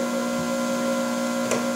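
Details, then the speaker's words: RC-1AU universal battery charger charging a 12 Ah battery on setting seven or eight: steady, even low hum with no buzzing or crackle, growing quieter as the setting is turned down. Normal charger hum while charging. "so again we can charge a 12 amp hour battery on settings seven or eight here and it will make a humming noise like this see as we go down you can hear less and less"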